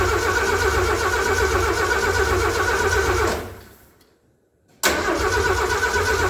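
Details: Derelict 1978 Ford F150 cranked after a new rotor and plug wires, with no carburettor prime and no throttle cable connected. Steady cranking at about four beats a second, a pause, then more cranking with no firing: crank no start, no fuel delivery.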